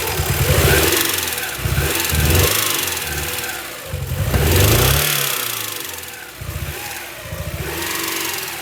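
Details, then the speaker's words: 1999 Honda Prelude, 113k miles, dies when warm, suspected flooded rich; during a screwdriver spark check, surging engine stumbles and rises with each throttle blip, never steady, described as so rich: rough running when revved. "now you're adding gas [Applause] it's spreading so so rich [Music]"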